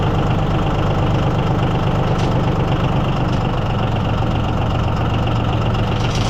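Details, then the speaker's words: Yanmar diesel (used to unload a hit-and-miss engine) cold-started at about 48°F without glow plugs or thermal start: even, steady idle clatter with a firm low thrum, no misses or knocks; healthy. "So, we get kind of a cold start. It's about 48° here today. We do have life. Just going to kick her up."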